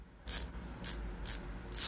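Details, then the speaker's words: Bicycle rear-hub freehub body, disassembled and cleaned of its heavy grease to make the ratchet louder, then reassembled and hand-tightened: four crisp bursts of loud, fast, high-pitched clicking as the wheel spins. Normal freehub ratchet clicking. "그럼 가장 중요한 라쳇 소리가 어떻게 바뀌었는지 한번 들어볼게요. 고급진 소리가 나죠?"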